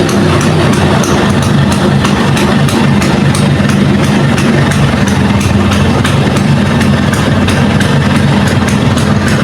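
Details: Vespa (Sprint or Super, uncertain) two-stroke started and idling before full-wave electrical conversion (battery drains with lights on): fast, even popping at steady idle, no misses, knocks or rattles; engine healthy.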